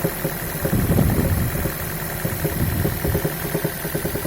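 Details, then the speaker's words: Toyota Prius (first-generation NHW11) cranking with all ignition coils disconnected: heavy, deep, uneven knocking through the bottom end that persists without ignition. Caused by worn main bearings spun on two crankshaft journals. "С полностью отключенными катушками стучит. То есть, я так понимаю, не работают ни форсунки, ни свечи. И все равно стучит."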